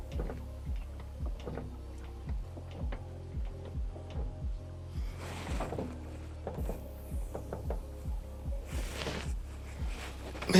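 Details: B20 Honda Ballade front wheel turned by hand with CV boot out, wheel shaking: sharp clicks about three times a second, something in front axle catching; owner suspects CV joint rather than diff, unconfirmed.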